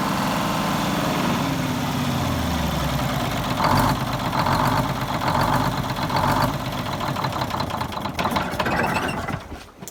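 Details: 74-year-old Greyhound bus diesel started from a new start-stop box after rewiring, to check a leak: a deep, steady rumble settling into an even idle with no misses or knocks. The engine runs normally.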